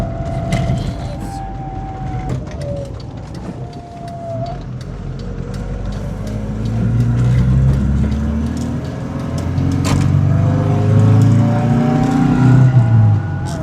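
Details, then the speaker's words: 1988 Volvo 240, first drive after 13 years off the road: a whine rising and falling with road speed over engine and road noise; owner suspects the input shaft bearing, bearings or gearbox oil. "The gearbox is whining like mad. It's It's probably something like the input shaft bearing, but it's quite loud and it's It's either going to be gearbox oil or the bearings or something like that."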